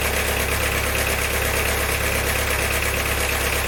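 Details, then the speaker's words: Diesel engine after valve stem seal and head gasket job, one camshaft bearing retaining bolt snapped, battery at 12.3 V: steady sharp metallic knock about three per second at idle; fuel system purged, so loose camshaft bearing rather than a knocking injector. "definitely sounds like metals running around in there but it is funny time for this graveyard i just bought the noise might be a knocking injector when we got a load of air i really doubt it because that sounded bad didn't it"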